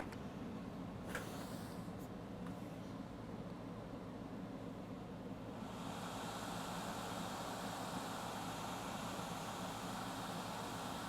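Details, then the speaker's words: Late 2012 iMac 27-inch, previously fan at full speed with 9 beeps and shutdown, after chip resoldered to motherboard: near silence then steady even fan rush, no beeps, third LED on; normal fan run at startup after repair. "Fan is spinning high, like usual. Oh, third light came on."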